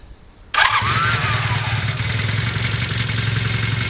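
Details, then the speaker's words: Rebuilt barn-find Honda CB250 Super Dream, cold with choke on and fuel tap on, started on the button: catches on the first press and settles into a steady, even, crisp choked idle with no misses or knocks; healthy cold start. "Started on the button. How does that sound to you? Does that sound nice? Yeah. Sounds good? Crisp."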